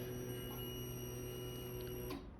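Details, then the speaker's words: Suzuki GSX-R 750 with a no-start (cranks, won't fire), fuel diagnosis: at key-on an even electric buzz for about two seconds, then a clean cutoff. The fuel pump primes normally, though fuel delivery past the rail and injectors is not yet confirmed. "So our fuel pump is working."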